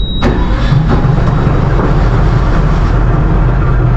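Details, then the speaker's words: Boat engine started by holding the green start button, with both batteries selected and the switch on run: a quick crank catches at once and settles into a steady, even low rumble with no misses; clean, healthy start. "Puis un carré qui est rouge qui est marqué stop. Donc pour la partir, on fait juste tenir le bouton start."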